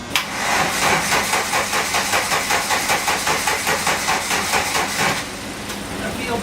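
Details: 1985 VW Cabriolet off the road about 17 years, roughly three years since fresh gas, battery found leaking: starter cranks steadily at about two and a half beats a second but engine never catches; cranks, no start, cause unconfirmed.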